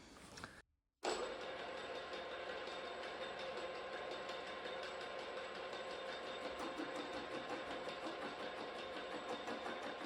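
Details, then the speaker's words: Milling machine drilling a new steering/pivot joint for a 40-year-old 2-stroke Yamaha outboard: steady rough roar with a fast uneven rattle over the cutting noise; owner thinks it comes from the gears, cause unknown, left alone for now. "and that noise you can hear the sound kind of bad I think it's coming from these gears here I don't really know what it is but we just leave it alone for now"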